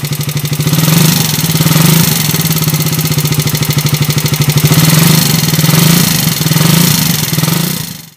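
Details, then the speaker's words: Raider 150 motorcycle engine before repair, noisy running; fast busy clatter stays loud with revs, from scored camshaft, camshaft housing and worn tappet shims, later smoothed and polished to quiet it. "iparinig ko yung andar niya kanina kaninang maingay Ayan oh Kaingay mga kaabo Rider 150"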